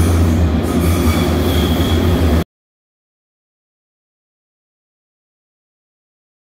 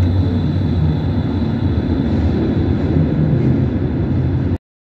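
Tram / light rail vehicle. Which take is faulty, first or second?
first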